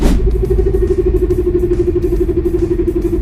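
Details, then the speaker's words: Vehicle 4x4 transfer case completely damaged, heard from underneath while driving: a loud droning whine pulsing about four times a second over road rumble. "Completamente se dañó. Este es el Fran Case. Este es el 4x4 de este vehículo. Este es un cover case. Le está haciendo un ruido grandísimo."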